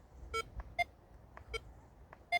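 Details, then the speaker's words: Air Metal Detector field test in UK on small targets, recovery speed 2, target at probably 4 to 6 inches: loud high blips on one swing, only faint on the return; lopsided, weak one-direction signal, suffering on smaller targets. "Still only getting it on the one way, and that is probably 4 to 6 inches."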